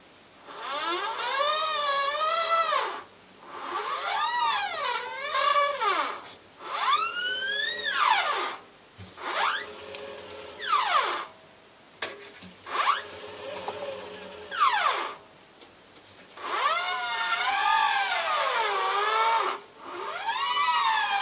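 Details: Samsung washing machine running: loud, wavering squeals in bursts, swooping up and down in pitch during operation.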